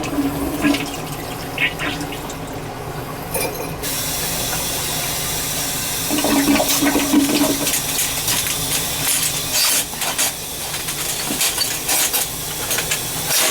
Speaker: There's definitely something tight in there. I can feel it. Snake won't go through.